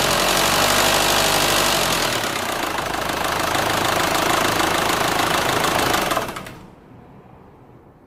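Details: Renault Scénic 2 1.9 dCi, 2004, diesel running until shut-off: abnormal knock, a fast fairly even ticking about four a second over the clatter; cause unclear; engine removal, inspection and engine replacement to follow.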